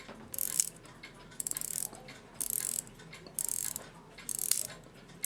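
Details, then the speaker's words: Post-WWII German Europa 7-jewel alarm clock, alarm won't wind: quick bursts of fine ratchet clicks about once a second as the alarm mainspring end slips past its catch, turning freely in the barrel. "Yeah, now it's just freely turning past it. It's not trying to catch it all."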